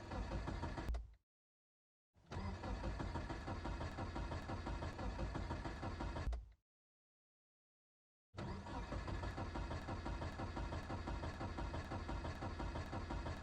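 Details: Car on a cold morning: steady starter churning at about three beats a second in long bursts with pauses, never catching; it cranks but won't start.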